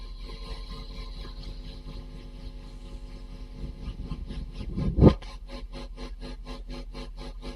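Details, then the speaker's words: Vacuum tube guitar amp after resistor replacements: loud thump then strong regular rapid pulsing at maximum intensity; tremolo low-frequency oscillator working again, though not yet optimal and DC on the pot. "you can hear we have quite a strong tremolo that has returned"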